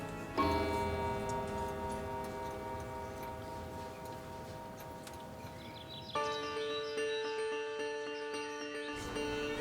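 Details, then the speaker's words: Victorian clock that had never worked properly, restored by a horologist: two clear ringing chime strikes over a steady tick after the repair; the clock runs and chimes properly. "yeah the chime was really the thing that I wanted to hear [Music] again and it it really brings back childhood memories now it's got a lovely sound to it and it's so nice to hear it"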